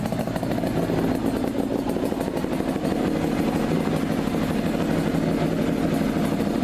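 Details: Two-stroke motorcycle in neutral after about 5 minutes of running, following clutch basket draw-filing clean-up: steady crisp ring-ding idle with light clatter, no slipping or rattling.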